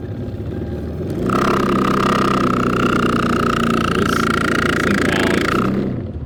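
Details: Possibly a 2008 Lexus LS460: a failing blower motor gives a steady, piercing high whine over the airflow for several seconds, then winds down. It has a 3-pin connector, and the motor shuts down, possibly from load detection.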